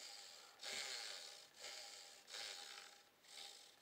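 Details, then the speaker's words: Indesit washing machine motor after new carbon brushes fitted and bedded in: hand-spun armature gives a soft, even brush swish with no scraping or rattle; brushes seated properly, normal. "Не тарахтит. Притёр еще одну щетку. Слышите какой звук? Щеточки установил, якорь крутится тихонечко."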